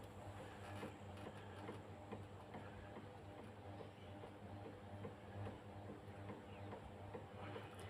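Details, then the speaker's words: 1200mm Coolway three-blade wooden ceiling fan, dated August 2010, run with no controller: turns very slowly with a steady low electrical hum due to a bad capacitor; owner suspects half the motor windings are damaged too. "Yeah, as you can see, it has a bad capacitor. It's pretty slow. Well, very slow, I should say."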